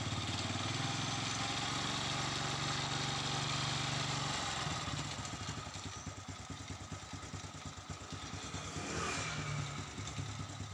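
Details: Honda Absolute Revo after fixing clutch tick on throttle release by shifting the primary gear two teeth: engine catches and settles into a steady even idle, no tick or rattle as revs drop; normal idle.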